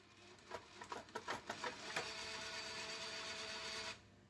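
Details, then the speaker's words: PS5 disc drive after reassembly: a burst of clicks, then about two seconds of steady motor whir that stops short; drive fails to pull the disc fully in, something misaligned or blocking it. "eject works let's try snap no it's still doing it why wouldn't it take it all the way in"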